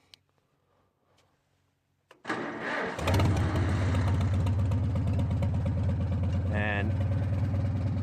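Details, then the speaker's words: Modified Farmall M International four-cylinder tractor, already started briefly and then sat about 15 minutes on a cool day, with a strong charged battery. Catches within a second after a short crank and settles to a steady, even idle: easy start. "It had been sitting here for about 15 minutes or so, and you see how quick it just fires up."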